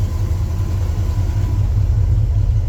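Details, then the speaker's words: Ford F100 farm truck engine, electric fuel pump, running out of gasoline with air entering the fuel line: low steady rumble with slightly uneven pulse, no rise in revs; no cylinder miss shown on vacuum gauge; leaning out from fuel starvation. "yep there it is and we're leaning out so we're actively running out of gasoline right now kind of hard on the electric pump"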